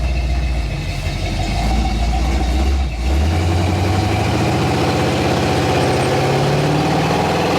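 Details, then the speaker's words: Freshly rebuilt AMC 360 (new cam, Edelbrock carb) on its first drive holds a high idle from a stuck throttle, then the pitch drops when freed with a blip; return spring too weak, needs a double spring. "Throttle's stuck. Blip it, just blip it with your foot. There you go. Yeah, so you need a double return spring."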